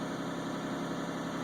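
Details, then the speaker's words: 2001 Isuzu Rodeo with recurring EGR insufficient-flow codes and check engine light on, just started, before EGR cleaning: steady, smooth drone with no knocks but idle RPM a little high and slightly rough; EGR suspected, not confirmed. "you can see the RPMs are up seems like a little bit higher than they should be for"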